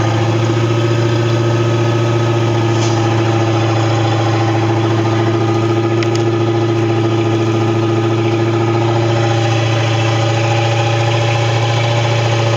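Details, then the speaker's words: Boat engine (Tahoe) that had been sitting, running after a no-start traced to a breaker and a new impeller fitted: smooth, steady idle with an even drone, no misses, knocks or surging; runs healthy. "But it starts and runs and seems to be okay."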